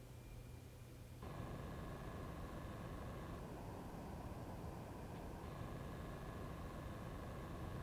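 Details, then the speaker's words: Weeylite Ninja 400 II bi-color video light with a soft steady fan whir and thin whine stepping up and down in pitch, plus a strange faint irregular clicking, also heard in silent mode. Fan noise with clicking. "unfortunately this light does have a bit of fan noise and while it's not much louder there is like the strange clicking noise"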